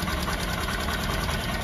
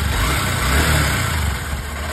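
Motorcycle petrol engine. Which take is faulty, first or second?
first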